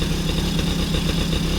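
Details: Cobra 110cc quad engine, sat 18 years, running after new battery, ignition barrel and fresh petrol, air filter pipe refitted: small single-cylinder ticks over at steady even idle, firm low beat, no knocks or misses; normal idle.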